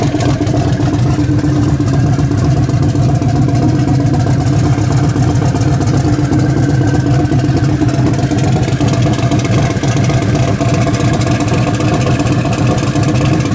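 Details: Turbo Nova after a cam swap, with plugs already fouled. Steady loud idle with a choppy, loping big-cam beat and no knocks or clatter: a lumpy cam idle.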